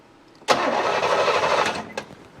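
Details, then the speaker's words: 1988 Chevrolet Monte Carlo SS sitting since the 1990s: about a second of starter cranking that never catches; no spark at the coil, power to be checked. "Got nothing at the coil. Let's check power."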